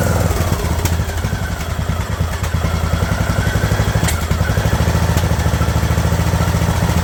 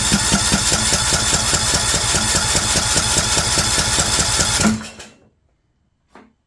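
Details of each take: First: Craftsman LT2000 riding mower engine at a slow idle after the throttle linkage was straightened: even, steady puttering beat with some clatter, running smoothly at the lower speed; normal idle. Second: Craftsman LT2000 lawn tractor with choke working: steady brisk cranking about two and a half beats a second that never catches, then stops. Cranks but no start; owner bets the carburetor fuel solenoid isn't getting power.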